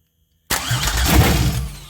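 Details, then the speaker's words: 2004 Grand Am with 3800 supercharged engine and 5-speed swap, first start attempts after adding 5 gallons of fuel, fuel pressure no higher: cranking with a few strong firing pops that almost catch, then fade; it nearly starts but won't run. "Man, she wants to start. I know y'all heard that one."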